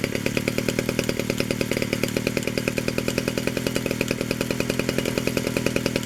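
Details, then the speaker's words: 1947 Danarm Junior Mk1 chainsaw after full restoration (new bearings, coil, condenser, timing set), running on a drop of fuel with no tank; rapid even two-stroke buzz, clutch operates, normal running. "There's only a drop of fuel in the pipe, so there's no fuel tank yet. There she is, she runs, and the clutch operates"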